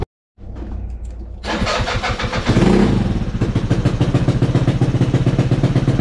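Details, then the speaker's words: 2013 Yamaha Zuma 50F scooter, earlier running badly: cranks briefly, catches at once and settles into an even, quick putter with no misses; now sounds good. "now I want to sound good and of course I crank it up and it wants to sound good"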